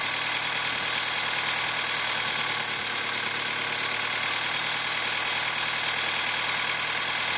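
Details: Hyundai ix35 CRDi 136 hp diesel, hot after a drive: idle with faint irregular metallic knock over bright hiss; dealer replaced chain tensioner 1.5 years ago and found nothing, lifters or tensioner suspected; hot engine knock, cause unclear.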